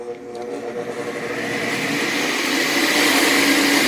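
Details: 40+ year old vintage Craftsman 8-inch belt-drive table saw with an added belt guard, switched on: motor hum climbs smoothly in pitch and loudness as the belt and blade spin up. A clean, normal start-up.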